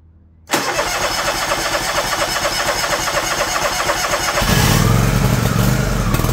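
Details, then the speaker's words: John Deere LX178 mower engine after replacing the faulty rich-running carburetor with a new one, on full choke, throttle cable disconnected: quiet, then catches at once and settles into a steady even idle that picks up slightly; normal start. "choke all right isn't that nice I'm going to look at see if I can slow that down a little"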